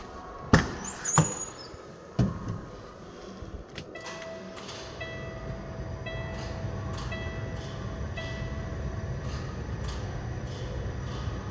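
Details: 2007 Peterbilt 386, 1.6 million miles, Cat 6NZ diesel with a fresh in-frame overhaul and no miles since, 18-speed: after a few clanks it settles into a steady, even low rumble with no knocks or misses; idles cleanly.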